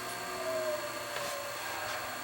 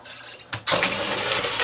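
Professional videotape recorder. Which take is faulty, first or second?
first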